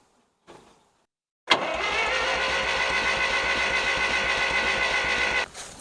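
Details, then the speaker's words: 1963-64 John Deere 1010W tractor, sat 18 years, cranks evenly and briskly at nearly four beats a second but never fires; spark plug tester shows no light, no spark, distributor ground wire suspected. "So, I'm not seeing any light."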